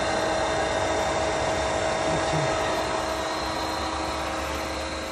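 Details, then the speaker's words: Pentair SuperFlo VS variable-speed pool pump settled at 3200 rpm on speed two for solar heating: steady, even motor hum with a constant fine whine and no knocking or rattle; normal running. "see that it went down to the 3200 right now we're right number two speed for solar"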